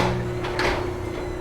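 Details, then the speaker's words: Chamberlain RJ0101 wall-mount garage door opener while programming a universal remote via the learn button: one short sharp relay click over a faint hum confirms the remote was learned, working normally. "so we'll press the learn button twice and then press the button that we want to program and you'll hear the garage door opener um with the light overhead will"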